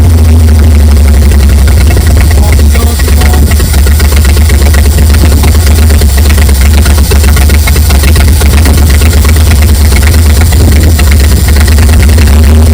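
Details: 1959 GMC 100 pickup, V8, revived after 30+ years, oil leaks fixed and coolant added: deep, even idle with steady low rumble, no knocks, misses or stumbles; idling smoothly and healthy.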